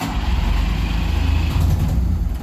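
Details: Engine started with fuel pump on and choke: deep, uneven chugging that barely catches and stumbles, smoky and won't keep running though it sounds better than before; hard starting, sputtering.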